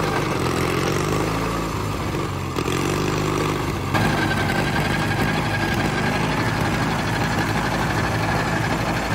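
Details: $500 Caterpillar dozer diesel, parked since 1992, running for the first time after a stubborn start in which the starter's Bendix gear kicked out. After a brief stumble it settles into a low, even, steady idle; it runs pretty good.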